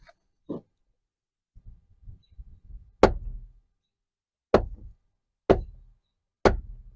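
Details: 2017 Ford Transit 350 XLT passenger door, 3.7 L V6 van bought used at 36,000 miles: sharp isolated clicks about a second apart as the door swings, with a light rattle before them, from a worn door check guide pin.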